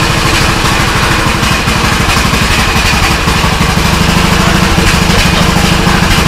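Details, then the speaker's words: Old custom-built Troy-Bilt riding mower, started with no choke, no smoke at all: steady putter around three beats a second, no misses or knocks; idling fine. "Something, this ride lawnmower, no smoke whatsoever. For this mower to be so old and everything, I mean, let me demonstrate on how well it turns smooth."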